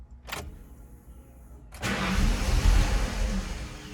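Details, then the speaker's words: 1995 Ford Mustang GT, lean with no power after MAP sensor cleaning: a couple of brief cranking thumps before it catches and runs low and uneven, doesn't want to start. Owner suspects a bad fuel pump; low fuel pressure. "Now it's doing the same thing again. Doesn't want to start."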